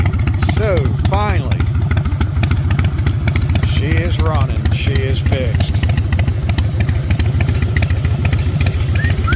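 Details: Salvaged 2000 Harley-Davidson Fat Boy V-twin, after flood restoration from 5 days submerged in Hurricane Ian floodwater: loud steady thumping with even beat under background music, no misfires; finally running and fixed, runs smoothly.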